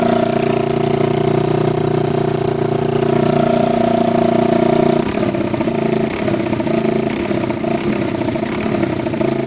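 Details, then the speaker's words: 1987 Kawasaki Mojave 250 ATV, neglected after long sitting, second start after tightening the exhaust manifold: small single races at a fast, unsteady idle with a raspy chuffing edge at the header; the choke is missing and its port is plugged with a small orange plug, causing the high idle, plus an exhaust leak at the header. "got it running um it idled really high because there is no choke in the machine they just plugged it up with like this little orange plug and uh that's why it's idling extremely high"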